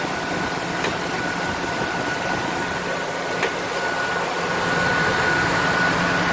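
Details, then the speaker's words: Ford F-250 fresh engine on its first startup after installation, still cold with the thermostat not yet open: quiet, smooth, steady idle with no knocks or ticks, just a faint even whistle; described as very smooth and healthy. "Very quiet. Smooth. Very smooth."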